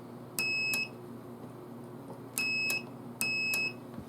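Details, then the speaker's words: Compressor relay from a 2008 Cadillac Escalade air suspension, bench-tested with a small power supply: sharp relay ticks on pull-in and release framing three half-second multimeter beeps, showing the relay switches cleanly and is good. "you also should hear that relay go pop so you can hear it Go tick"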